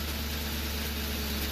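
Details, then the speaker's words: 2004 Crown Victoria Police Interceptor with the MAF sensor unplugged: steady, even low idle hum with no misses, the best it has idled in a long time; owner suspects a possible exhaust leak. "Truthfully, it's idling better than it has in a long time"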